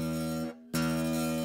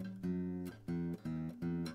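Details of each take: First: Zager acoustic guitar: a hard-snapped note gives a short buzzy string rattle on the attack. Heavy picking causes this even on a well-adjusted guitar, so the player's technique is at fault, not the setup. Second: Zager acoustic guitar after a truss rod (neck relief) adjustment to cure string buzz: strummed chords ring out clean with no rattle or buzz under the strings; relief now set right.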